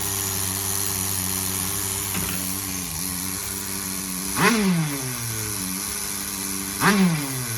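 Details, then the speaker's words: Tamiya TGS-R nitro RC car with a rebuilt engine (new rod, piston, sleeve and pin) on 15% fuel, at first fire-up: a steady high-pitched idle with two clean throttle blips. It is running too hot, the idle is set somewhat high and the high end is possibly lean. "check that idle definitely shouldn't be revving it [Music] high"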